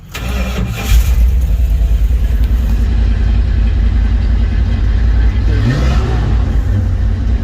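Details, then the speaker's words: Vacuum-secondary Holley carburetor on a Sweptline truck after cleaning and rebuild, cold start after sitting a while on a booster battery with the throttle return spring just reconnected: catches after a short crank and settles to a steady, even low rumble, normal start. "There we go. Now, try it again. Much better."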